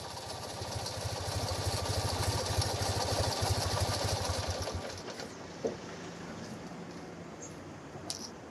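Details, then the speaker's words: 1975 Fiat 500 R air-cooled twin on a drive from Bologna to Hamburg: sharp rapid chuffing on each firing pulse when revved, first feared as belt or engine failure, found to be a cracked exhaust; safe to drive on, exhaust later replaced. "der auspuff hat einen riss und der macht das geräusch damit kann ich unbesorgt weiter fahren"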